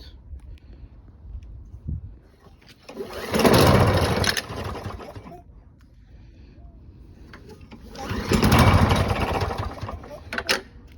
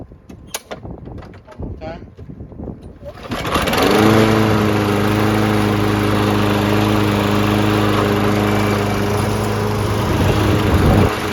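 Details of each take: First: Lawn Boy 20-inch self-propelled mower: two pull-start attempts, each a brief churning burst that dies without catching. Cranks but won't start; the carb was found wet and oily and is to be cleaned. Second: Lawn Boy 20-inch self-propelled mower after carb cleaning (the no-start was blamed on a badly oil- and dirt-soaked filter): a few pulls, then it catches and settles into a steady, even constant-speed drone; running smoothly.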